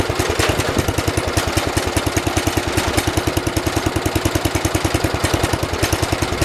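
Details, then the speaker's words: 1973 112 tractor, Kohler K301 single-cylinder, after head gasket replacement and valve adjustment (8 and 17): even, steady putter with regular firing pulses, no misses or knocks; purrs, normal idle. "Purrs like a Kohler, I mean kitten."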